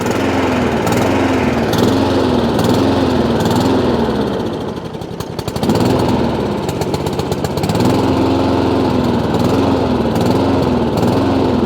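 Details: Honda IZY lawnmower after carburetor work for a fuel leak, now starting on choke: pitch rises and falls about once a second and nearly dies once, hunting surge; owner knows it's fuel, carburetor needs cleaning again.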